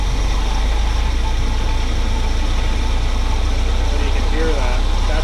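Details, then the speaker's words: 1979 GMC Vandura G25 with Edelbrock carburetor, vacuum gauge fitted: rough idle with hesitation and uneven note when throttle blipped, vacuum drops on throttle; owner suspects dirt in the carburetor, plans to remove it and change ignition wires. "So, I think ultimately some dirt's in this carburetor and I'm going to wind up having to take it off."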